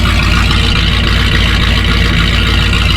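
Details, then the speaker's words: 1967 Ford F250 V8 after a new Edelbrock Performer intake and Holley Truck Avenger carburetor, timing set by ear only, idle set slightly high: a lumpy, uneven, stumbling idle; owner suspects a weak cylinder or valve train trouble, not confirmed. "Nothing doesn't sound too bad. I'm just I'm not sure if I have a weak cylinder or maybe my valve train is not working pretty good, but I also haven't I haven't timed it all."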